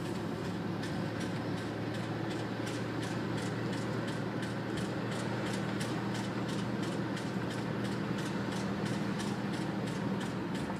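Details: 2001 Buick Regal GSE at idle: a sharp, steady tick, about three a second, rides over a low engine hum.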